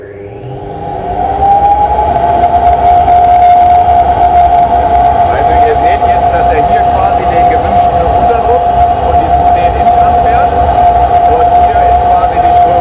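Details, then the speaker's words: Flowbench test of plain cut-off intake pipe: loud steady howl near 750 Hz builds as airflow rises, caused by turbulence at the sharp, unrounded pipe inlet; intake turbulence howl. "man hört so ein gewisses heulen jetzt also was ein rein akustisch hört man eben schon dass hier verwirbelung stattfinden so das hat natürlich auch mit dem scharfen eintritt hier des rohres zu tun"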